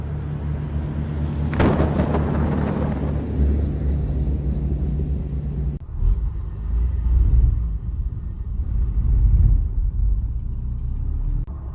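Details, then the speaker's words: Un-restored 1937 Plymouth Business Coupe pulling away from a stop in first gear after a chatter repair: low rumble shudders unevenly, so some clutch chatter remains. Owner hopes it is clutch break-in; the new throwout bearing is also noisy. "there's still some clutch chatter. I think it's mainly, I hope, from the breaking in of the clutch."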